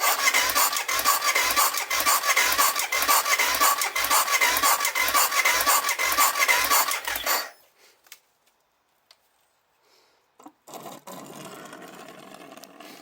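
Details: BMW F650 GS motorcycle with used replacement parts, fuel pump and injector being tested off the battery: starter spins steadily with even pulses about twice a second for seven seconds but never fires; cause unconfirmed.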